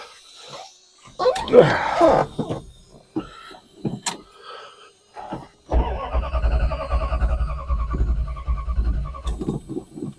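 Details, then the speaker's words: 1973 Dodge Dart Swinger during charging-system troubleshooting, battery at 13.2 V: steady starter cranking that never catches because the ignition coil was left unconnected, and it fires once the coil is hooked up; crank no start, no spark. "Oh, one should hook up the coil first. It works better that way. Silly boy."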